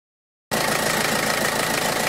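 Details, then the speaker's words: Peugeot 307 HDi 2.0 diesel, 110 hp, 2002, started right after an oil and oil filter change to check for leaks: fires straight up and settles into a steady, even diesel clatter with no misfire or knock. Healthy idle, and the drain plug is not leaking. "Bon voilà, le moteur il tourne, donc je vais mettre sous le véhicule pour regarder au niveau du filtre."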